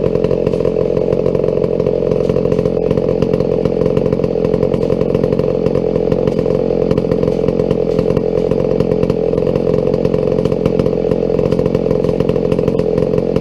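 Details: Old McCulloch 797 123cc chainsaw that sat unfired for years, running on a foo bar fuel system with an added filter after a few issues were sorted; loud, steady two-stroke buzz holding high revs evenly, no stumbling or surging, running cleanly.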